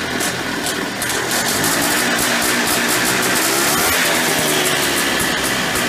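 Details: Early-1990s Polaris Trail Boss 250 two-stroke with clean carburetor: raspy rattle that hangs and winds out after throttle off instead of dropping back; suspected crankcase air leak from bad crank seals behind flywheel or clutch.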